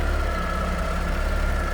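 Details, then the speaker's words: 1988 Pontiac Fiero, warm, even steady low idle around a thousand rpm with no knocks, misses or ticks; sounds good, purrs like a kitten. "Sounds good, looks good underneath there. Purrs like a kitten."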